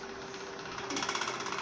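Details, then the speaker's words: Pedestal (stand) fan running: steady motor hum with fast chattering rattle building partway through, loud at night, owner says it strains the fan and bushings; something loose, to be disassembled to find source. "سامعين الصوت حضراتكم؟ الصوت ده بالليل خالص بيبقى مزعج جدا، وطبعا غلط على المروحه والجلب."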